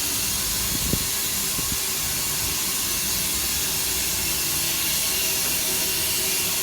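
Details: Loud steady high hiss of water rushing through pipes, unchanging, going on nonstop for 24 hours from multi-storey car park; continuous water rushing noise, cause unknown.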